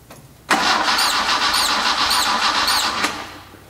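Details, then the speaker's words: Engine cranking for about two and a half seconds, high chirping squeak on one cylinder's stroke, not the serpentine belt; traced by hose stethoscope to number three intake port, suspected carburetor rubber mount or intake; goes away at wide-open throttle. "if you really think about that everybody has always thought that that was a belt and I knew it wasn't a belt cuz it's our serpentine belt system and it's never made a noise"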